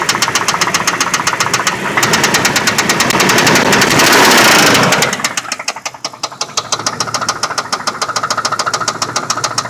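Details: 1995 Lincoln Town Car with 326k miles: sharp steady knock three to four times a second rising with throttle blip, rod knock on cylinder 3 from worn connecting rod bearing; engine to be replaced.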